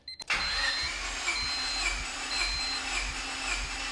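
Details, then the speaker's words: Honda engine run on vegetable oil and bacon grease, still very hot, cranking during a compression test reading 135 psi: even cranking at about two beats a second, each compression stroke sounding alike. Good compression. "135. All right, well, we have good numbers."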